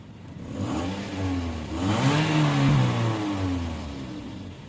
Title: Suzuki Mehran Engine Missing and Misfiring Problem #youtube #youtubeshorts #ytshorts